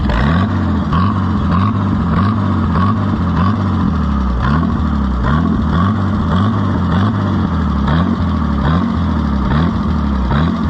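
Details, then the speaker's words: Farmers Union No. 2 Co-op tractor with Zenith carburetor, after oil change with stop leak: idle surges up and down in a regular wave about every half second, never settling; governor hunting/wobble. "That doesn't look very good with that governor wobble there, but"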